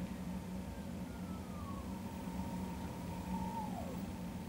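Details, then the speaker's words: 19" K4600 arcade monitor, horizontal oscillation inductor being turned with a screwdriver: a thin high whine slides down in pitch, then settles and drops away as the correct frequency locks in. Horizontal oscillator running off-frequency. "so I'm going to turn this clockwise and you'll hear the oscillation sound change here you don't hear any high-pitched any high pitch noises but as I get closer to the correct oscillation listen"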